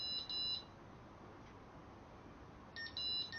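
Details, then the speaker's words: Freedor acoustic door closer: after the batteries are connected, the side button is held and it runs its start-up self-test with short high beeps, a pause, then more bright beeps. A magnet switch follows to confirm all self-tests passed. Normal start-up. "we now need to push the button on the side hold that down and it's going to go through its start-up sequence you hear it beeping"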